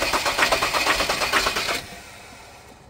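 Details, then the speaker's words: Ford Ranger with knocking that won't start: starter churns in quick, even pulses for under two seconds, then drops off without catching; mechanic blames injectors damaged by water. "Start. Naglanak oh. Isa pa. Op op op. Ang damage. Injector yan buddy."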